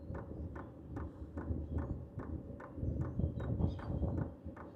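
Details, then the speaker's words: H-Calory diesel heater with a replacement WAYSKA fuel pump fitted, shell off, priming; soft, even ticks about 2.5 per second under the fan hum, much quieter than the original pump. Normal fuel pump clicking. "You are hearing a clicking noise, but it is a lot quieter than the original. And keep in mind, the shell is not even on yet."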